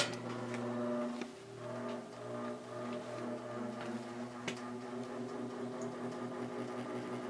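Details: 1950s GE automatic electrically reversible fan with thermostat, running on low: steady low electric hum with smooth even whir and faint stray clicks; fan motor running normally.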